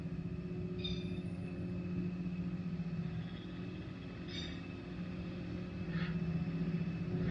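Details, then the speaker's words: Minn Kota electric trolling motor run at speed six or seven with prop off: steady hum sags in pitch then climbs as housing is rotated; adjusted to best position for faster, quieter running. "I'm going to start the engine I'm going to run it on about say about six or seven going a a fairly fast speed and I'll get you to listen closely to that humming away there"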